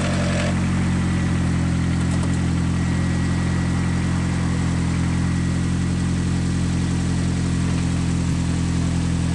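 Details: First startup after replacing all rod bearings on an engine that had heavy rod knock at connecting rod 1: smooth even idle with steady low hum, no knock or tapping from the bottom end; fixed.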